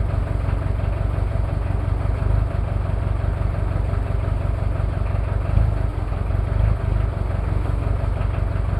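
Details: Cold start of a Toyota 2L-T diesel after piston rings were replaced without a top overhaul: irregular, stumbling idle beat with occasional heavier knocks. Rough idle from one bad injector, with possible cylinder head issues.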